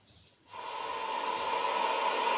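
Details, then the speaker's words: 1990s ICOM IC-820 2 m/70 cm multimode transceiver after PLL repair (two capacitors replaced, board cleaned and degreased): silence, then a steady hiss with a faint tone; PLL no longer drops out, receiving on both receivers. "Nie zrywa nam PLL. Odbiór jest, jak słychać, na dwóch odbiornikach."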